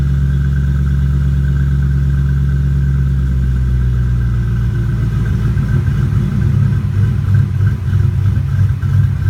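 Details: 2005 Mustang GT with Department of Boost GT450 supercharger running unevenly with a thin steady whistle above the V8 note, a vacuum leak.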